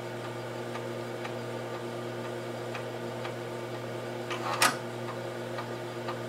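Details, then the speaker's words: Heathkit H-47 8-inch floppy drive on an H8 computer formatting a double-density disk: soft even ticks about twice a second as the head steps tracks, then one loud clunk midway before seeking repeats; normal operation. "there it goes and now it's uh doing this sort of second set of um seeking or formatting or whatever's Happening Here"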